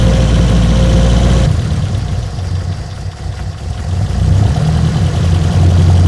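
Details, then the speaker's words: 1972 BMW 2002, twin carburetors, automatic, after start/run repair and timing checked on mark: low steady idle with even firing, starts easily where it didn't before; runs normally. "the old ear dynamometer pretty pretty freaking spot on to the point where I'm not gonna adjust it it's firing up easy as you heard before it didn't do that"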